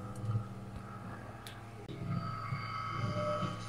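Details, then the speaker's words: Koryaiko DF54 single-dose coffee grinder running empty after burrs backed off from contact (rotated counterclockwise): steady motor hum with light even whirr, no scraping or catching; smooth, correct sound. "Ganyan dapat ang sound niya."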